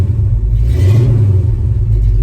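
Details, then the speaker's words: 1974 Ford F-250 V8 with new mufflers fitted, one side mocked up and not fully bolted: a deep, rounded rumble swells smoothly on a quick blip with no rasp or drone; a healthy, well-muffled, street-legal exhaust. "We're sounding good. That's good. I like that."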